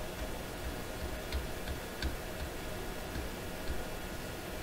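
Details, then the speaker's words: 1928 RCA Victor Model 28V radio: steady regular ticking about twice a second over low background noise, not 60-cycle hum, persisting with ground disconnected; interference of unknown source. "So what is that sound anyway? What is that actually? What would make that kind of sound? I mean, that's a but then that's not 60 cycle hum. That's something very different."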